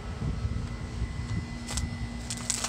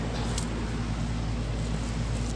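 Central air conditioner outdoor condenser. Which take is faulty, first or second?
first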